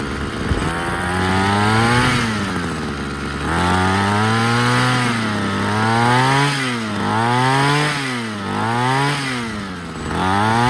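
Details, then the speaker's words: Ryobi CS26 two-stroke string trimmer bogging on throttle, revs surging and sagging as if fuel-starved, also stalling at idle; before air filter cleaning, carburetor and spark plug checks; new carburetor bought but not yet fitted. "so i put on the gas it wants to bog down [Music] so why is that ease into it"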